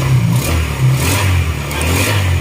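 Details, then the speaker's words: Secondhand Honda Click scooter after crankshaft (sigunyal) repair, coolant refilled, restart test: even steady low hum with a quick rev blip, no knocking or rattling, now quiet unlike the very noisy engine before; oil neglect blamed; normal running. "Ayan, tahimik na. Diba? Tahimik na. Di tulad nung ulat, talagang sobrang ingay ng makina."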